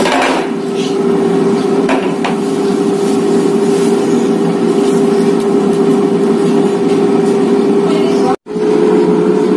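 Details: Mito digital air fryer preheating: steady, even whoosh of air with constant low hum, no rattles or surging; fan running normally.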